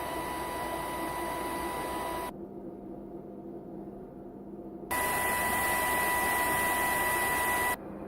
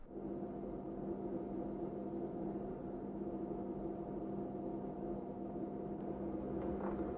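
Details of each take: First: Capcom CPS2 arcade system built in the 90s, fan noise before and after. The worn original fan gives a loud hiss and steady high whine; the new narrower 60x60x10mm 12V 0.16A brushless fan gives a much softer hum. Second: Capcom CPS2 arcade system from the 90s with old loud fan replaced by new 12V 0.16A 60×60×10 mm brushless fan: smooth, even quiet hum, no rattle or buzz; far quieter than original.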